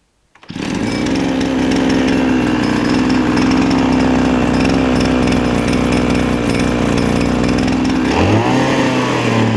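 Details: Recovered 26.5cc two-stroke, warm, run on fuel premixed with motorcycle oil after filing a piston scratch that had locked the rings and killed compression; steady high buzz with uneven metallic beating, pitch change near end: centrifugal clutch rattle, confirmed on inspection.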